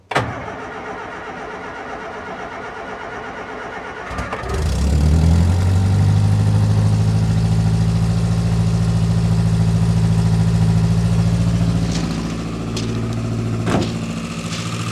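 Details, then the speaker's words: Old Austin/Morris van petrol engine after fuel system work, running off the pump: cranks briefly, catches and settles into a steady, even idle; starting and running normally. "nope oh that's good yeah yeah yep that's running off the pump"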